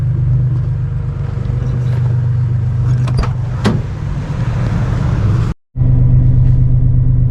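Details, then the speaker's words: 1995-2004 Gen 1 Toyota Tacoma 3.4L V6 (5VZ-FE) idling with a low, even, rock-steady rumble the next day, after idle hunting and stalling were fixed by replacing the idle air control valve and a 15-minute idle relearn. "She rocks steady now, so I'm happy to have that fixed."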